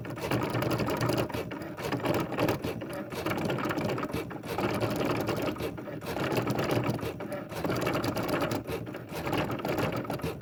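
Machine runs with a harsh, uneven ratcheting clatter over the stitching rhythm, louder than it should be; cause not obvious by ear.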